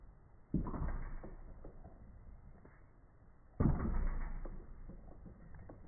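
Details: SRAM AXS GX derailleur on a hardtail after adding a new O-ring to stiffen it: drop test gives two dull thumps dying out fast, no chain slap or lingering rattle; derailleur now quiet.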